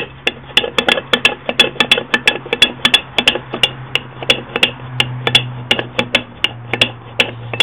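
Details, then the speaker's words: Yamaha Big Bear 350 YFM350FW differential, gears rocked by hand while holding the other gear: sharp irregular clacks about once a second from excessive backlash on worn teeth; too much play to reuse. "And we're talking a fair bit of play. I'm having trouble holding both of them at the same time, but you can hear that slapping around."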